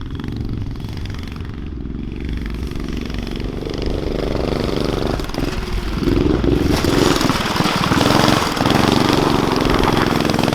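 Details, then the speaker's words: Street go-kart with Predator 212 engine, muffler, homemade throttle linkage working the throttle butterfly, first run: single-cylinder revs unevenly with ragged stumbling beat and surging pitch; running rough, cause not confirmed. "definitely not right. But if it was right, you can tell it would it'd be mean."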